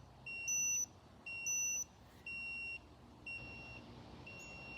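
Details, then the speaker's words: Laser level paired with a Dovoh DR1 receiver gives sharp high beeps in short bursts about once a second. This is its out-of-level warning while still tilted, and it stops once the unit is levelled. "keeps hollering at me got get this thing so it's I don't know what it wants it quit"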